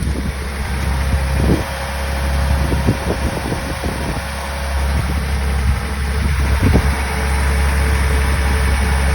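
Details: 1985 Toyota Celica Supra straight six, cold start after sitting a few weeks, timing belt changed at 115,000; even steady low rumble, smooth rhythm, no knocks or misses, normal cold idle.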